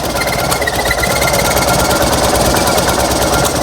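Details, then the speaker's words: Fiat 126p (Maluch) engine on 92% denatured alcohol instead of petrol, very low compression after new piston rings: ragged uneven firing with irregular clattering pulses, sputtering and struggling to keep running. "No dawaj dawaj Ale co nie za bardzo PR chodzi nachy Zobaczcie tutaj jak prycha"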